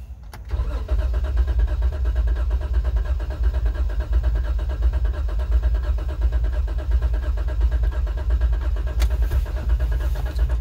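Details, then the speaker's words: 2012 Jeep Wrangler back for diagnosis of a cylinder 6 misfire, cranked in clear-flood mode with throttle floored so injection is disabled: uneven, lumpy cranking beat showing unequal compression between pistons, low compression suspected. "no me gusta ese sonido ahí hay un desbalance en los pistones no se escucha pareja"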